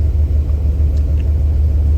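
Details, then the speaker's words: 1996 Ford E-350 Econoline van, warmed up, after fix for P0171/P0174 lean codes: deep, even V8 rumble at idle, steady low throb, no misses or stumbles; long-term fuel trims near zero, normal idle. "All right, it's pretty much warmed up for the most part. And now we can take a look at our long-term fuel trims. And just at idle, they're looking pretty good."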